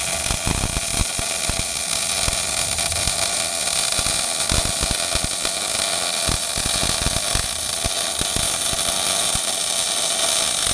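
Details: Old Miller-Matic 251 MIG welder at 21 volts and 366, welding pipe fittings: a constant fast crackling sizzle with no gaps or pops, a stable, well-set arc; normal MIG welding arc.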